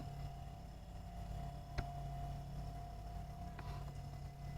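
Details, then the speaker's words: Boat refrigerator compressor in a cracked fridge so it runs long or never shuts off; faint steady low hum with constant tone, no rattles or cycling; compressor running normally. "I've got some cables running here, and I've tested the pump, and the compressor is right in there. Maybe you can hear it."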